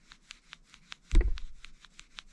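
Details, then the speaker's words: Synergy MFG adjustable ball joint (JK/WJ) being assembled on the bench: light crisp clicks as the cup turns, showing the indexing pin has dropped into its single slot in the bearing and is engaged. "that means the pin's engaged okay so we'll just screw it back together here"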